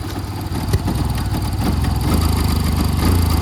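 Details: 2011 Yamaha FZ-16 single-cylinder cold start after about 7 months unused, fitted with a 150 carburettor due to misfiring; uneven lumpy idle about three or four beats a second, slowly firming up; rough idle after long storage.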